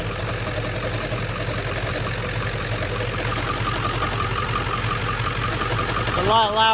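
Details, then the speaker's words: 1997 Ford F-350 7.3L Powerstroke diesel, 164,000 miles, warmed up; steady idle with a loose, intermittent chattering knock about three times a second, rod-knock-like; owner suspects flywheel or water pump, stethoscope points to front pulleys; knocking at idle. "almost sounds like it could be the flywheel water pump so what i'm going to do is i'm going to get a stethoscope"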